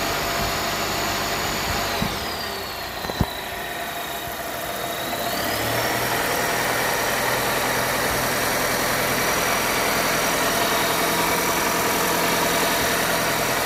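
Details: 2021 Volvo S90 B4 mild-hybrid at idle: a thin, steady high whistle dips then settles higher over an even engine. PCV, oil separator, alternator, pulleys, seals, balance shaft and timing belt were replaced without fixing it; turbo ruled out. Source unknown.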